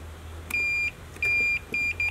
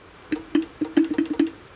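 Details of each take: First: Multimeter set to continuity, testing the wiring of a restored Mitsuba horn from a 1965 Honda S600: four sharp high beeps, two long and two short, as the probes touch; that wiring section is continuous. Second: Mitsuba horn from a 1965 Honda S600 on a 12 V bench supply, top cover just refitted during restoration: short bursts of a faint, uneven low buzz, about eight in under two seconds. It seems to pull the magnet down; a sliding piece and spring are suspected.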